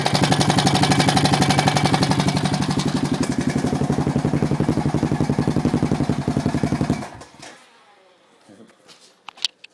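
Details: Honda Foreman single-cylinder ATV at idle: crisp, even top-end tick near four per second over the exhaust beat until shutdown; valves already adjusted correctly, owner suspects the timing chain.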